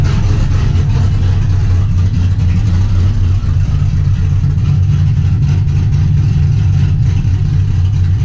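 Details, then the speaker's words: Trans Am V8 after replacing the corroded knock sensor with a new GM AC Delco part and a new harness, old code cleared: deep, steady, loud rumble while idling and revving with no knocking, ticking or misfire; healthy. "Alright guys, we got the knock sensors changed. I already started up, cleared the old code. Let's go ahead and let you guys hear it for the first time."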